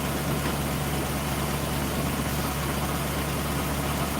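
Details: V8 at the engine bay: steady, even low idle rumble with no knocks or misses; normal, healthy idle.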